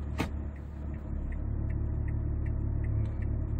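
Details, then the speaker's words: 2008 Hyundai Veracruz after fuel/emission treatment, stopped with brake held, shifted from Neutral into Drive: steady deep idle rumble slightly heavier as gear engages, normal in-gear vibration said to be improved versus before. "아이들링 시에 진동소음이 좋아진단 말이에요. 전에는 더 심했던, 원래는, 그 N하고 D하고의 차이가 있습니다. D에 드라이브에 들어갔을 때 기아가 맞물리면서 진동소음이 더 크거든요."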